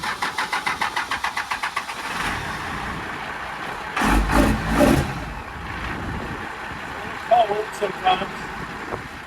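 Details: Diesel truck after oil change and valve adjustment for clunking/thumping noise: starter cranks in quick even pulses about two seconds, then engine catches and runs; clean start.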